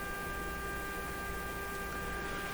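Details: RCA Victor A38 shortwave tube radio fed a steady signal-generator test tone: output comes through as a harsh, rough buzz with no clean note, badly distorted; owner guesses a clipping output tube, possibly its grid, unconfirmed.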